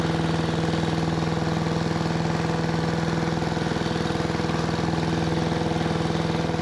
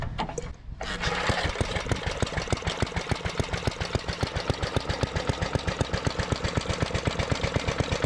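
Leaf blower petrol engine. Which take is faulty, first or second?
first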